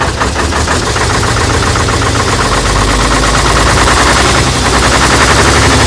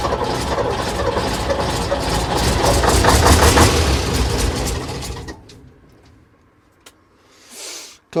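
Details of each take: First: AEC Matador 7.7 litre diesel on a cold day, first run after overhauled injection pump and injectors refitted and fuel system bled; heavy, steady even chug with firm low thump, no misses or knocks; normal diesel running. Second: AEC Matador 7.7 litre diesel, in neutral on a cold day, after overhauled injection pump and injectors refitted: about five seconds cranking at roughly three turns a second, no firing; air in fuel system after it was apart.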